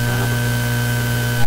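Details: Heathkit SB104A transceiver transmitting on the 14 MHz band at high power with tune: steady low buzz with a fixed thin whistle above it, stopping abruptly; the noise is not heard in the shop and its cause is not yet found.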